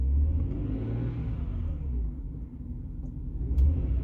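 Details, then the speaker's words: Jaguar XJ40 XJ6 4.0 Sovereign, stationary before setting off, gearbox also not shifting past second: low rumble with revs bouncing, sagging and recovering, rough uneven beat; misfire, fine at low revs, cause unknown. "So bad news, before I've even set off, we've got the misfire. You can see it sort of bouncing, leveling itself out, bouncing again, the revs drop down."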